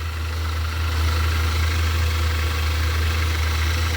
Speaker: it's coming from here it's over in this area so and it only happens whenever the engine's running